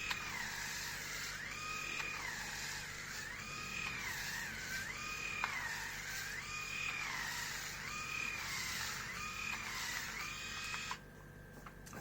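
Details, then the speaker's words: New Grundig MS7640 electric shaver on first use, cutting one day's hair growth. The high buzz sags in pitch about every 1.5 seconds, then recovers, as the motor struggles under load. "so i don't know how much it was how much you could hear but it seems like it's struggling i mean it sounds like it's struggling with my hair what i shaved yesterday and it doesn't it's not a good sign i think"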